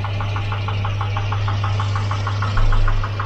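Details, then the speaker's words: Volvo Redblock B230 four-cylinder in Volvo 240, noisy engine: sharp hollow metallic ticking about six per second over steady idle, too loud and same at any temperature; piston slap in bore. "it slaps like that no matter the temperature a bit too much"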